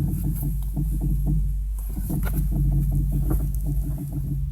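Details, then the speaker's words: Renault Megane II 2010 with electric power steering, steered while stationary: rapid uneven clunks and catches. Mechanic diagnosed a worn, binding strut top-mount bearing; replacement planned. "esse barulho você que tá dentro do carro assim percebe que ele vende ali e daqui foi no mecânico pessoal que mexe com alinhamento e ele me disse que o problema tá nessa peça aqui ó no caso é um rolamento do amortecedor"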